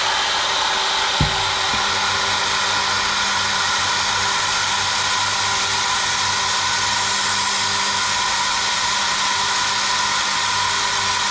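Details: Ceiling sander (GTPRO) after motor brush repair: click, then motor spins up to a steady high whir, even pitch, no crackle or sparking rasp; running normally while new brushes bed in.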